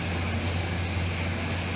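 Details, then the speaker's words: 1970 Pontiac Grand Prix SJ V8 restarted after cooling, during cam break-in, no throttle: spits gas, fires right up, steady even low burble without tapping or missing; normal idle. "Spit gas up a little bit. Fired right up like it's supposed to."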